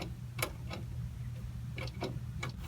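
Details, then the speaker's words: Half-scale NASCAR race car: scattered sharp clicks with no cranking, tachometer light going completely off on start attempts; owner suspects the battery is toast, plans full recharge and retest. "I'm pretty sure this battery's just toast because the light on the tachometer is going completely off when I try and start it"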